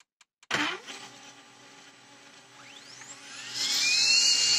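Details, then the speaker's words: Samsung ML-2015 laser unit polygon mirror motor after cleaning with alcohol and adding silicone lubricant, previously growling: a high, clean whine sweeping smoothly up to a steady pitch with no growl, the bearing spinning freely. "после этого надо обязательно проверить его как он раскручивается ну делаем это образом прячемся на момент раскрутки запускаем 3 класс опасности глаза бережём ждем пока раскрутиться"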